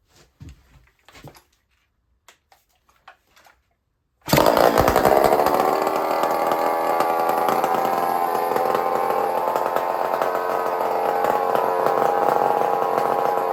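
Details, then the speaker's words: Stihl 046 Magnum chainsaw, exhaust/muffler opened up so it no longer exits through a tiny hole: after a pull it fires and settles into a loud, crisp, steady two-stroke buzz, expected to be louder and snappier; running healthy. "So we're going to fire this thing up. And we're going to hear the difference. It's going to be a little louder. And it's probably going to be a lot more snappier."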